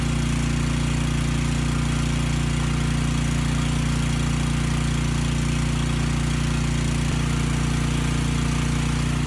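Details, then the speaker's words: Briggs & Stratton Storm Responder generator (engine 21T212-0116-G1) after freeing an engine stuck at TDC from fuel flooding, governor spring backed off so running slow; steady even thrum, no knocks, makes power, brief smoke burned off: normal running. "okay that's all i wanted to see it makes power the engine sounds good"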